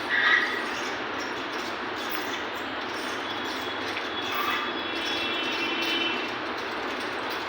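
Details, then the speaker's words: Ceiling fan that runs in stops and starts: a constant dry scraping hiss with a faint thin squeal and no hum underneath. The bearing is dry. The noise grows as the fan heats up until it stops, with a risk of the coil overheating; bearing replacement is the fix. "अभी इससे धीमी आवाज आ रही है। फिर यह थोड़ा गर्म हो जाएगा, और फिर यह और अधिक शोर करने लगेगा। और यह रुक जाएगा।"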